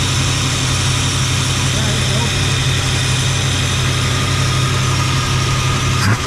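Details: 1977 Jeep Cherokee Chief, warm at 195 degrees: deep, uneven idle with a lumpy low rumble that never settles; rough running from fouled plugs and weak spark, with the carburetor also needing work.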